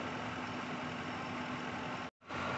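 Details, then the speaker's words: 2003 Lincoln Town Car 4.6 V8, after repair: smooth, even idle, no shaking. It had set P0300 with misfires on cylinders 2, 4 and 8, shaking after intake work; the cause was loose injector connections, not bad injectors. Now running normally. "ok bueno de aquí ya está trabajando bien el carrito"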